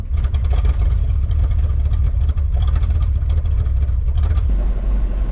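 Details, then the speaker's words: 1979 Chevy small block, likely 350, high mileage with unchanged oil: deep, lumpy, stumbling idle, missing on two or more cylinders; cause suspected, to be addressed with new plugs and vacuum-leak fixes. "you can hear she's real rough island that might have more than two cylinders that aren't firing all the time we'll find out i guess"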